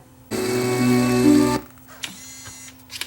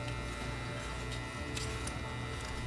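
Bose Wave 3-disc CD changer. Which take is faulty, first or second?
second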